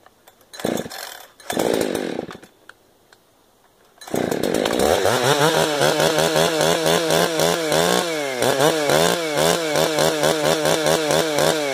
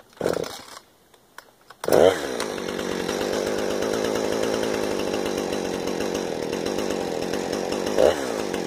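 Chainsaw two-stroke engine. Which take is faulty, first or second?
first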